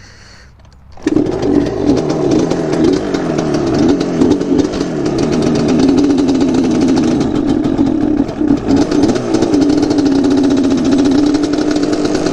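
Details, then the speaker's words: Yamaha Banshee two-stroke quad kicks over and fires, then runs unevenly with a burbling, hunting idle that never settles; very dirty air filter, owner suspects dirty carbs too; mushy clutch, worn swingarm and carrier bearings noted. "the air filter being really dirty and i bet you the carbs are really dirty too i'm sure that has something to do with the way this is running"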